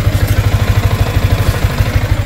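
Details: Sniper 155 motorcycle at 28,740 km, tappets already adjusted and tuned up, idling steadily with a light quick top-end clatter on each firing pulse; noise traced to a loose manual cam chain tensioner.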